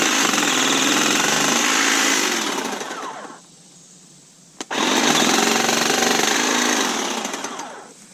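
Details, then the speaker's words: Kobalt 40V Max cordless hedge trimmer, rated for 3/4-inch cuts and getting worse with use, cutting a small tree limb. Runs steady, then labours, thumps and bangs as it bites, nearly stalling before spinning back up: bogging under load. "But if you cut into just a little tree limb, like, it starts thumping and banging real hard and will not hardly cut"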